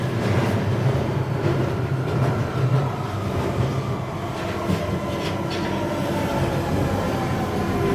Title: 1992 Stock 91091 Underground Central Line with Tapping Noise while Arriving at Mile End & Departs